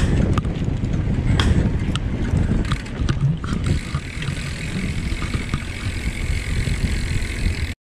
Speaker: dengan ini dekat kering saya ada bunyi kretek-kretek YouTube dan biasanya kalau yang bunyinya disekitar kering itu yang bermasalah adalah bb-nya Nikon guys